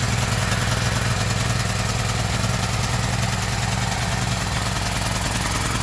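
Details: Gasoline generator's small engine holds a steady, even beat at constant speed with no misses or surging; running normally.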